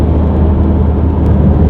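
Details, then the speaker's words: VW Golf driving at about 50 km/h, loud steady low droning hum from the front end that worsens under acceleration; both front wheel bearings are equally worn, so no pull to either side. "down the street normally but as you can tell it makes a decent amount of noise so the front passenger needs to be replaced along with the driver and even at 50 km an hour you can see that the car is making a substantial amount of noise from the front end"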